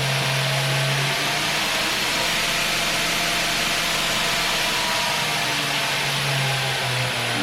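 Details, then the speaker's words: 2x72 belt grinder (B.A. Shredder) running on 220V via a dryer-cord extension, tested forward and reverse: smooth steady motor hum over an even belt hiss, no rattles or grinding. Running cleanly. "it run so smooth look at that look that a monster can it's running man I like it"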